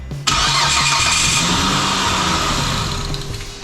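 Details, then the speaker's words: 2008 Mitsubishi Eclipse that starts then dies, cold after sitting: cranks and catches, fast unsteady idle, then sags and stalls within seconds; it runs slightly better each attempt; electrical supply suspected, spark next to test, unconfirmed. "all right so it started for a minute I wonder if we're dealing with electrical power cuz it seems to be running better each time it starts up"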